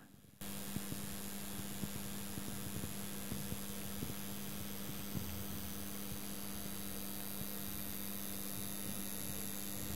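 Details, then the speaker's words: Loud, steady low mains buzz that never changes pitch from an early-2000s Sony mini stereo amplified speaker (SA-N11, system HCD-T1/TC-TX1), amplifier module on mains; owner pretty sure the power transformer is buzzing, not the speakers or lights. "thing is buzzing like crazy and I'm pretty sure it's the transformer in there that's annoying"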